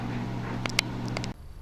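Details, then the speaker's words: KTM two-stroke electric starter on a cold day, bike not yet started: the starter whirs with a few scraping, grinding clashes but never turns the engine over; the starter drive is slipping instead of meshing, and the starter was repaired afterwards. "here's what it sounds like a little bit of grinded noise and and basically just a non-start"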